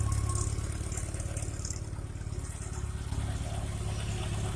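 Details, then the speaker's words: Homemade tractor converted from ZiD-4.5 to VAZ-2109 engine, in neutral: even idle pulse without the earlier loud hydraulic pump hum, fixed by routing the return line into the hydraulic tank; phone mic may not convey it fully. "Уже насос так не гудит, хотя этот телефон опять же звук так не передает, как положено."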